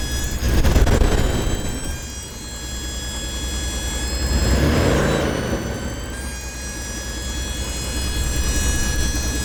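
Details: 1996 Dodge Dakota truck: steady high-pitched squeal over the low engine rumble; owner cannot find where the sound comes from.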